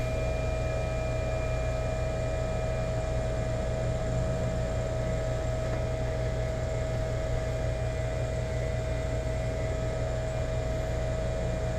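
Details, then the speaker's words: Rheem EcoNet 3-stage inverter heat pump outdoor unit on a new install, running at high speed: steady low hum with a thin, even inverter whine that never wavers; normal, quiet inverter heat pump operation. "all right oh yeah we're definitely in high speed now in here going you can hear that whine of that inverter going"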